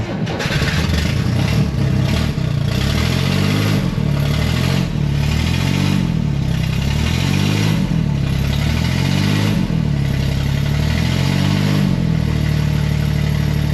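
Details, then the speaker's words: 1967–69 Corvair (paperwork says 69) flat-six, unrun for years, with exhaust leaks and loose alternator belt: engine surges and sags about every second and a half, lumpy hunting idle that never settles; carburettors need work, carburettor screws had been turned out a turn. "uh I'm not sure about how good he wants it to run or if he even know knows about the exhaust leaks who knows if he just bought it I don't know"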